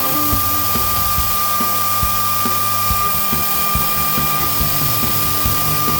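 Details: Newly installed VFD spindle upgrade on a Genmitsu ProverXL 4030 desktop CNC cutting metal with a non-coated bit at aggressive 2 mm depth, then 0.1 mm finish pass: steady clean high whine, no bogging or chatter; smooth healthy cutting.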